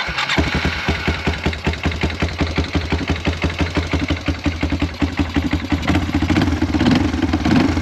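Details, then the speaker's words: Roughly 2000 Yamaha Timberwolf 250 4WD ATV, bought not running, after a new carburetor and spark plug, started by jumping the relay: catches right away and settles into an even single-cylinder thump at idle. Finding: normal start and idle. "we put the new carburetor on it we just changed the spark plug so let's jump this relay again should fire up"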